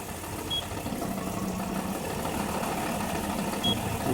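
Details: 2005 Nissan Murano with a misfire but no fault codes, scanner disabling injectors one by one to find the bad cylinder; quiet, soft idle with no stumble or missed beat, runs evenly; normal idle.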